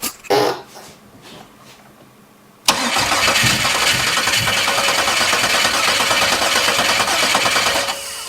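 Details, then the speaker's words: 1996 Camaro 3.8L V6, bought sight unseen, cranked with the injector fuse pulled after being rotated by hand: quiet, then a harsh whirring crank for about five seconds that dies away. The engine turns but won't catch; cause unconfirmed. "I'm going to leave my microphone here so you can hear this saying just come to a screaming"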